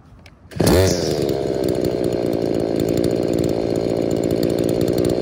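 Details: Trash-picked small two-stroke with a damaged purge bulb: sharp pull-start, then steady high revs with a slightly uneven, blubbery edge; it has to run richer on the low-speed screw to idle; the owner suspects the purge leaks air into the carb metering side.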